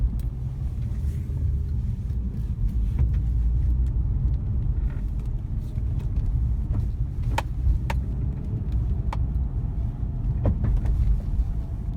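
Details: Nissan 350Z driving: sharp irregular knocks from front centre/near side over road rumble; drop links already replaced to rule them out, front suspension knock remains.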